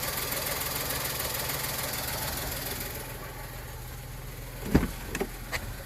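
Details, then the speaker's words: VW Polo idling after ABS pump error repair; steady idle with airy hiss over the engine, then handling clicks; owner suspects a vacuum leak, unconfirmed. "I want to check everything on the engine side first, because I'm pretty sure that has a vacuum leak somewhere, because I can hear that."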